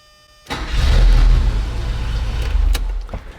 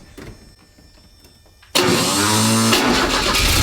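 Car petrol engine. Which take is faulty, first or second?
second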